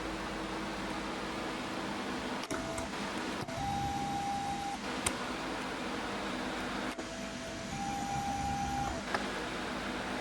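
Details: Old, cheap Canon SX280 HS compact camera, battery suspected: thin, faint motor whine stepping up in pitch, about a second at a time, twice, over room hiss; very slow, sluggish zoom. Cause not confirmed.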